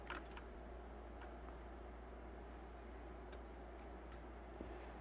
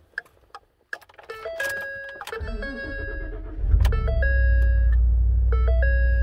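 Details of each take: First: 2013 Ford F-150 XLT with repeated BCM failure from windshield water leak, fuse box test: soft sharp relay clicks over low hum as a single fuse is inserted; relay works normally, 11 volts on hazard switch circuit. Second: 2013 Ford F-150 XLT, third BCM after water leak through windshield: engine start with bright two-tone chimes about four per second, false all-four door-ajar and low brake fluid warnings, hazards stuck on. Failed body control module again.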